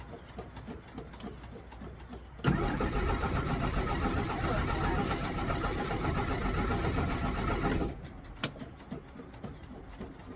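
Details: 1963 Jeep Gladiator with a probably weak battery after the key was left in the ignition. Steady cranking at about four turns a second for about five seconds, then it stops without catching: a no-start. Owner suspects the electric fuel pump or filter.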